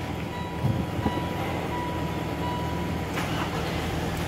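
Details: Mitsubishi Montero with code P1276 after fuel filter replacement and code clear: engine catches and settles into steady low even idle, no misses or knocks; check engine light no longer returns.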